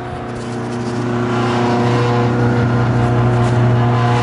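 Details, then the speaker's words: Hobart MG2032 8.5 hp commercial meat grinder-mixer on a three-phase converter, worm gear fitted with new parts, running in mix mode: steady even motor hum, constant pitch, no knocks or grinding, paddles turning smoothly; normal running. "First, we can turn it on mix, and now the paddles are just turning."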